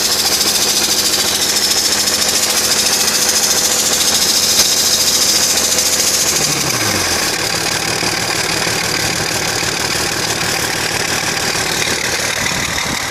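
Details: BMW 330Cd diesel idling with light, fairly regular ticking about two per second over diesel clatter; cause unknown.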